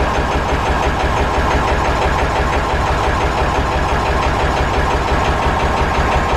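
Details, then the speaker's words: Massey Ferguson 35 tractor, sat unused, started: heavy uneven thumping idle running on only two cylinders, one cylinder honed at rebuild and not worked since, thought to need working in; runs on three once warm and loaded, no smoke. "seeing here it was only running on two cylinders or so it's because uh the one cylinder got honed out when it was rebuilt and it hasn't been worked it's just sat"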